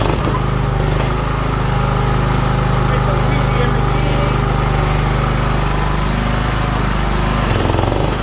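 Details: John Deere 240 lawn tractor test run after drive belt replacement: steady, even small-engine drone with smooth low beat, no misses or knocks; healthy.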